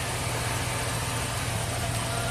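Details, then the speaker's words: 2003 Chevy Silverado Classic V8 with a previous intermittent no-crank and overnight battery drain, running after a repair with no parts required: low, steady idle with an even hum, no stumbles or knocks; normal idle. "fuses in truck should start and run absolutely no problems if I find the key love it satisfaction still no parts required"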